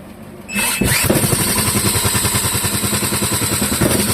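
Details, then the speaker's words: Clinton model 3100 small engine, first run attempt, carburetor suspected dirty and dripping slightly, on half choke: catches right away, quick slightly uneven steady beat, penetrating oil smoking off exhaust; starts and stays running. "Well, I I got it to stay running on half choke. That's a good sign."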